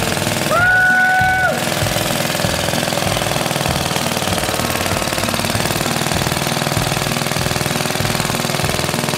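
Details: 1936 Briggs & Stratton WM washing machine engine after valve job and electronic ignition coil upgrade: loud, steady single-cylinder chugging about four beats a second, firing evenly; normal running.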